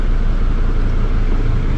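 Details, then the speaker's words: 2006 Mercedes Sprinter T1N diesel idling right after first start with a newly installed cylinder head: steady deep rumble, even beat, no knocks or rattles; sounds pretty nice already, normal idle. "it sounds pretty nice already"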